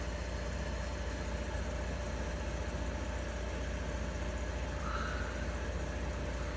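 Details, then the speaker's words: 1953 Fedders Weather Bureau window air conditioner with a Tecumseh S compressor, after service, drawing 6 amps and 488 watts. Steady low hum with a constant mid tone, no knocking or cycling. Normal running. "So 488 watts right now it's using. That's it. That is nothing."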